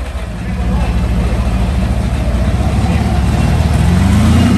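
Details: Meteor Interceptor car with Centurion tank V12 engine, first complete drivetrain test on jack stands after rewiring; warm idle at 540 rpm, coolant 78°C, ignition 10° BTDC, alternator 14.0 V: deep, steady low rumble with even beat, no knocks or misses, healthy idle.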